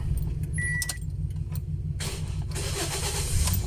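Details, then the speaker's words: 2010 Toyota Vios after a front crash and radiator/condenser replacement, previously crank-no-start with a camshaft position sensor circuit code. Now starts in one click: keys rattle, then a steady engine hum with no stalling. Check engine light still on. "So yun na nga mga boss nakaandar na yung engine natin per nakaw yung check engine sign"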